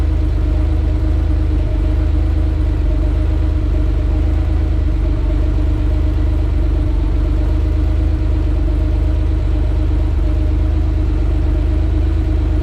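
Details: Hot air-cooled Porsche 911 with Bosch CIS K-Jetronic Lambda injection after mixture adjustment, frequency valve duty cycle now mid-50s: smooth, even low idle, constant hum, no hunting or stumbles; normal idle.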